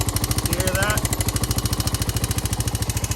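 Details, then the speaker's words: Rebuilt Honda 350X three-wheeler after an adjustment, warming up: quick sharp ticking still keeps time with the idle. Owner concludes it is definitely valve-related and needs a valve adjustment. "i can still just hear the ticking and it isn't this because i'm feeling it it was this before"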